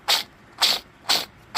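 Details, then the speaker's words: Exmark/Toro 48" zero-turn mower transmission idler pulley, removed and spun by hand off the machine: four short gritty rasps; bearing dry, lost its grease, shows wear marks; made loud noise underneath when running, will seize and the belt will melt the pulley. "Ese pully está, el rodamiento ya no sirve, está seco. Perdió la grasa."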